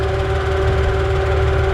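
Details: Warm idle, nearly at operating temperature, radiator fan running, after engine lockup and coolant loss: lumpy, uneven idle with low shake under steady fan hum; rough, possible misfire, car has always had a slight tick.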